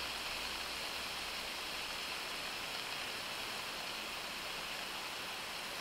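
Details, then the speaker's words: Daiwa 7HT ST baitcasting reel after strip-down and rebuild with stainless steel main gear and custom pinion support, spool tension set to its sweet spot: steady high-pitched whir, no ticking or scraping; free spool spins 1 minute 29 seconds, magnetic brake off. "Then that is 1 minute 29 seconds with the mag off."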